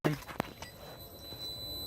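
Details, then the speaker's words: Toyota 4Runner after swapping in an aftermarket 255 LPH fuel pump, key on: a couple of clicks then a thin steady high-pitched whine with fuel flow audible; normal fuel pump priming. "annoying but you can even hear the fuel flowing right now"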